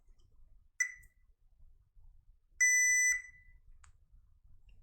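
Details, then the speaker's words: HP PS-4241-9HA power supply repair: a brief high chirp, then a steady half-second continuity beep from the meter on a blackened MOSFET, confirming it is shorted. "I think it's this mosfit it seems blackened yeah it is shorted"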